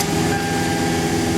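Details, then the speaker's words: Toyota Highlander driven on the road after its clogged catalytic converters were replaced; a steady, even drone with no knocks, rattles or misses, smooth as it was before the converter issues. "Hey, sounds like it used to. I mean, used to before the catalytic converter issues."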